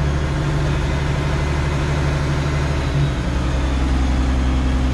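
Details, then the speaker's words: International Harvester 1086 turbo diesel tractor idling just after start, throttle raised, building clutch pressure; steady low idle with even beat and faint rising turbo spooling whistle; healthy, warming up. "And this is a turbo, you can hear it spooling, it's kind of cool."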